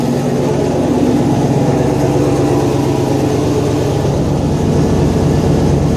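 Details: Fairmont project car freshly running, fuel pump temporarily hot-wired: steady, even idle with a smooth low rumble and no knocks or misses; engine runs fine.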